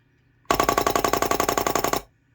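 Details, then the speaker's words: Rebuilt SU electric fuel pump on a pre-war car, bench-powered at 12 volts without filter or connections: rapid even clatter about twenty crisp clicks per second as points cycle; pump working properly. "the sound of these always reminds me of um world war two vickers machine guns it's about the same sort of firing rate i guess"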